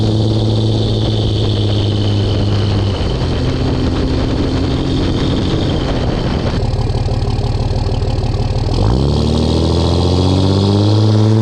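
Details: 2004 Dodge Ram 5.9 Cummins diesel on a test drive with a new MBRP S6104P exhaust, GoPro near the exhaust, under load: a deep, steady rumble pulls smoothly through a shift with no rattle or drone. Normal exhaust note.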